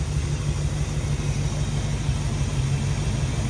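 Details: Dodge Dart V8 first run after a long lay-up, ignition module rewiring corrected, all eight cylinders firing: deep, even rumble with a steady loping beat, no misses or ticking; healthy idle.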